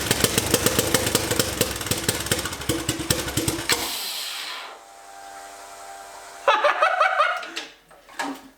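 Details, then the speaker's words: Turbocharged 660 lawn mower on first test run: loud choppy single-cylinder running for about four seconds, then abrupt cutout to near silence; stalled, cause unknown, then smoking with oil leaking. "hey why did i shut down"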